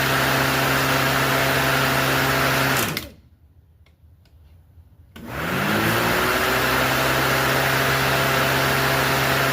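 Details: Craftsman 19-inch corded electric lawnmower, unused a while: even motor hum cuts off, then spins back up smoothly to steady whine, no rubbing or rattle; normal motor run.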